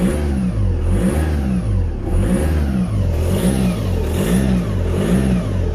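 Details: Audi A4 B7 2.0 TDI, after oil pump and timing belt were just replaced: engine revved repeatedly, thin high whine rising and falling with each rev over diesel note; new noise, possibly turbo, source unclear.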